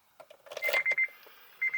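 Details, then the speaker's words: Acura RSX with a newly installed engine during priming, no base map loaded on the ECU and not starting: a few short high-pitched key-on beeps, a pause, then more, showing the chime and electronics work normally. "that's good we got the beep let's turn it"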